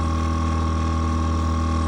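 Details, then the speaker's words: Worcester Bosch 30 SI combi boiler with the case off: a loud, steady droning hum with a constant whine from the fan, which has failed; the fan is to be replaced. "Alright, let's have a listen with the case off. Safe to say I think that fan's had it."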